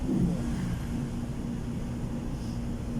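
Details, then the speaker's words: Submersible pump runs with a steady low hum; pressure switch has not cut off because a 10-minute timer is still watering plants, so continuous draw; no knocks, normal running. "Kaya hindi pa nag-off yung pressure switch doon guys dahil nagdidilig pa yung ano ngayon halaman yung timer. Ayan oh. Gumagana pa siya guys."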